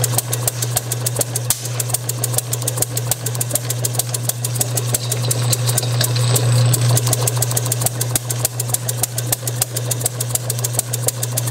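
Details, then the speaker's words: Bessemer model engine driven by electric motor, Hall-sensor spark, carburetor borrowed from a vertical single, timing a few degrees after TDC: sharp ticks about three per second over motor hum, fires some turns but won't self-run; intermittent firing. "so that's firing just a hair past top dead center like just a couple of degrees past top dead center"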